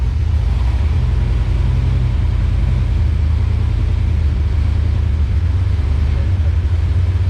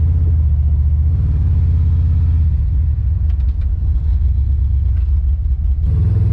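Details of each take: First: Swapped V8 after new plugs and wires and a sorted transmission. It runs with a deep, even rumble and no skip or miss. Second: Car on its first test drive: a deep, heavy exhaust rumble that stumbles unevenly under throttle instead of pulling clean. It is skipping, a returning misfire the owner thinks is probably a spark plug wire.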